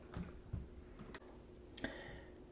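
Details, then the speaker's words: 1970s Heuer Master Time dash-mounted 8-day clock, Heuer-Leonidas single-barrel manual-wind movement (Arogno-based), before repair: faint unevenly spaced limping tick from an over-oiled movement with the balance spring out of flat. "so here we have ticking away inside our hoist hoya master timer is a hoya leonidas marked eight day movement"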